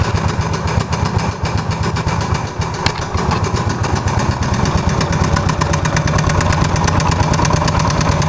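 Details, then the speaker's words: Suzuki Savage LS 650, 650 cc air-cooled four-stroke single, started after nearly a year: sharp, regular ticking knock from the engine head over the thumping idle; valves already adjusted without help, loose cam chain suspected, not confirmed. "That's it! This great knocking sound! And because I had already adjusted valves and it didn't help... most probable cause of this sound is loose cam chain"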